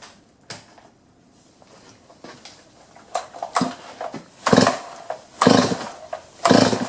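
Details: Chainsaw that won't cut despite sharpened chain and lowered depth gauges, covers off near the clutch drum for a carb-cleaner air-leak test: fires in uneven bursts about once a second, surging and dropping; runs rough, air leak only suspected.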